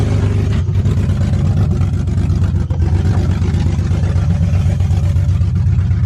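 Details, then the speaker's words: BMW 330i drift car, just fitted eBay headers, exhaust disconnected since flanges didn't line up: loud, raspy, crackling bark with deep rumble sharpening on throttle blips; open header exhaust. "I like how it sounded. It was really raspy because it's just headers, but I mean, what else to expect?"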